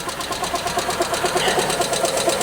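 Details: Chrysler Prowler after sitting in a field for months, jump-started on low battery with check engine light on: quick steady ticking about ten times a second and uneven surging, self-revving idle; cause not yet found.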